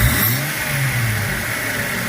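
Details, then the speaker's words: 2004 Jeep Grand Cherokee WJ that idled rough and stalled when throttle released, after cleaning the throttle body: steady even idle without dying, likely just gumminess; normal idle. "and it hasn't died so far. So that might have been all it was. It's just a little bit of gumminess."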